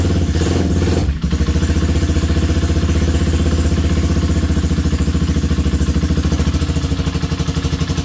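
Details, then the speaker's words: Honda CB250 that made a dragging noise when cold, first start after rebuild: even steady single-cylinder thump, no tapping or rattle; slight vibration only from two mounting bolts; suspected cause was loose cam chain guides. "vibra un poquito sí tiene un sonido de vibración pero eso es por lo que está solo con dos pernos pero el ruido ese feo que tenía como si fuera fela realmente ya no tiene"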